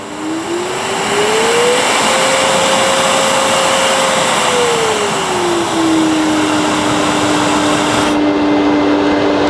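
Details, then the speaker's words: Festool CT 26 dust extractor (upgraded, Bluetooth model) on variable speed turned up to very fast, pulling 3,900 litres a minute; smooth motor whine climbs in pitch, holds steady, then eases down; normal healthy full-speed run. "Now you've got variable speed. I can turn it on to very fast. So it's pulling 3,900 litres a minute at the moment."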